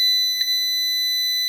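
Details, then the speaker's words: Must PW1800 inverter after repair of burned transistors (it had shown error 9, battery short): idle current now 300 mA, and its buzzer gives a steady, piercing beep for an unspecified error. "тепер струм холостого получається 300 ма воно пищить про якусь помилку"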